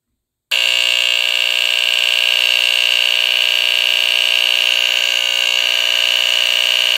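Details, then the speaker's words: Vintage NuTone-branded Gentex photoelectric smoke detector, circa 1974-1980, Edwards squealer horn on AC, missing parts; alarm triggered by turning sensitivity adjustment up; very loud, steady, raspy high-pitched buzz, horn sounding normally. "okay so it's a very raspy sounding you know very raspy sounding buzz that it makes it's not unlike the uh vulcan autosonic mark sr04 that i have"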